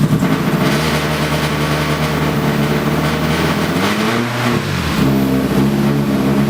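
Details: New engine catches and runs unevenly at light constant throttle, note wavering and stumbling rather than settling; owner feels it runs on three cylinders; misfire suspected, cause not confirmed.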